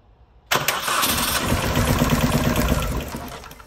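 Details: 2001 Mini Cooper R50 suddenly misfiring badly, plugs, coils and HT leads checked, fuel rail cleaned; cranks, catches, lumpy skipping idle as a cylinder drops out; misfire at idle, cylinder 1 injector not pulsing, ECU suspected.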